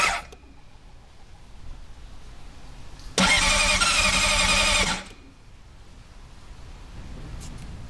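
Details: 2006 Honda CBR600RR, 34,500 miles, sat four weeks, fuel pump primes: short, labored starter cranking that never catches, then silence. Cause: battery would not hold a load; replacing it fixed the no-start.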